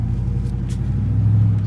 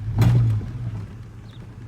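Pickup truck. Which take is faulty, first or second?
second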